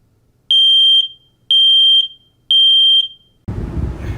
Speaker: it sounds like it's a smoke alarm going off making this sound